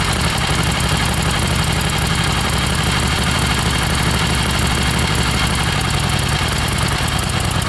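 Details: 1976 Harley XLCH Ironhead starts and idles fine but misfires a lot when ridden; here a loud, steady, lumpy V-twin idle with even low thumping and no missed beats, idle sounds normal.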